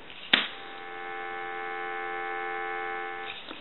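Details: Western Electric 202 rotary desk telephone during final checks after repair; a click, then a clean, steady dual-pitch dial tone held for about three seconds, with no crackle or hum; healthy dial tone.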